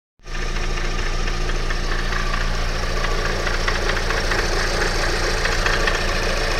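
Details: Alfa Romeo 156 2.0 JTS idling: quick, uneven metallic rattle over a heavy low rumble; the owner wonders if it is the bearings. Cause unclear.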